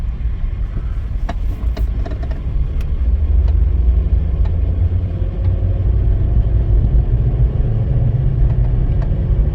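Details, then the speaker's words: Kia Soul road test after the engine and transmission were reinstalled: a smooth, even engine drone under steady road rumble, with no knocks or misses while pulling. The engine runs healthy; the electric power steering column has a separate issue. "runs good she sounds excellent so I am okay with this I'm very happy"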